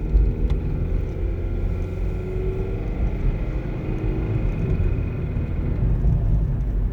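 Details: 2012 Nissan Versa, 89k miles: deep droning rumble under throttle with faint rising whine near the top, stopping as soon as the gas pedal is released; cause unknown.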